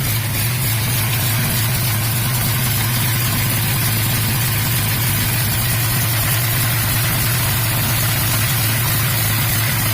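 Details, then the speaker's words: Swapped-in 5.0 V8 after replacing a bad engine, first run: deep, even idle holding a constant beat with no knocking, ticking or stumbling; normal idle, sounds really good. "finally got it up and running we still got some gangsta workout she sounds really good"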